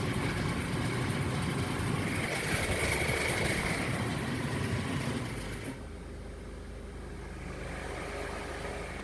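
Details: 2006 Acura TSX engine running with fast, fairly even clicking, about three to four clicks a second; cause unknown.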